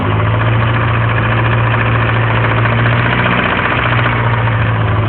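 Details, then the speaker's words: Nissan KA24DE four-cylinder, intake manifold gaskets just replaced, running at low rpm; fast, deep rod knock under a steady hum, only at low rpm, started the night before; engine otherwise runs and drives strong. "just last night started to rod knock at low RPM so you can hear it right"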